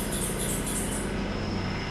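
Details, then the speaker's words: Geo Metro convertible, after idle mixture and timing adjustment, no antifreeze in engine: high chirping squeak pulses over the idle at startup for about a second, then fades; new, source unknown. "a little bit of squeaking that's new it wasn't squeaking"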